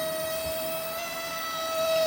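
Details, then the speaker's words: XK A800 RC motor glider aileron servo, plugged in on bench after flight: constant high-pitched electrical buzz with no movement when stick moved; servo is powered but has failed, replacement ordered. "This is the sound I'm getting from the aileron servo. Right, nothing happens when I move it. You can hear it's trying to do something."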